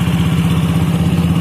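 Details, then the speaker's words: Yamaha Mio J scooter after fix for stalling when throttle released and hard starting at low idle: steady single-cylinder putter about eleven beats a second, no longer dies off throttle; normal idle. "Hai ini sudah selesai dan hasilnya gasnya sudah tidak matian jadi biar berkasnya sudah normal rpm nya tidak normal gas dilepas tidak mati"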